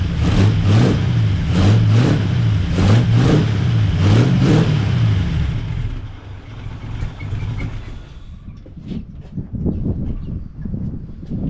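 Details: 1939 Buick with the 248 engine running after the coil was replaced and points checked, on a weak battery: low, even thrum with rhythmic rev swells that settles smoothly; normal running.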